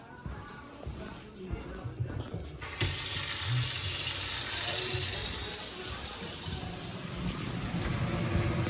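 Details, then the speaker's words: Biasi boiler after replacing the pressure switch and reconnecting the electrodes, on a call for hot water: a soft rushing air noise starts suddenly and holds steady as the fan purges, followed by ignition; normal purge. "she's purging. We got ignition. Beautiful."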